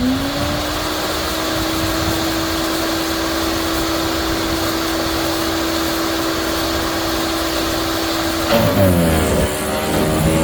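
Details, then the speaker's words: Yardworks electric garden shredder: steady hum at full speed, then pitch sags with chopping crunches as a hard branch bites; shredding normally. "that last piece was a big, very, very hard piece. And did a pretty good job."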